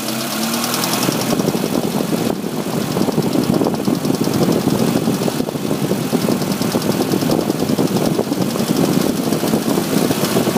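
A quick, light ticking keeps time with the idling engine over a steady run; it is a tick at idle with the cause not yet found.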